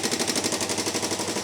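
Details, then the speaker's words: Single-cylinder ATV with a JB-Welded cracked case, first start after clearing a clogged carb pilot jet: fast, even light ticking over the running engine. Model is prone to it; owner suspects the valves and plans to adjust them. Valve train ticking. "But, but it does run. But, yeah. Um, one thing I was afraid of, which you did hear, was the ticking. These things are prone to tick."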